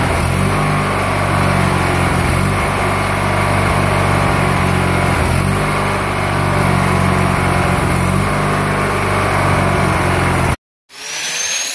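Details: Murray GT lawn tractor 18 hp opposed twin, first start after being apart and primed; steady even run with slight speed swells, then clean shutoff: running properly.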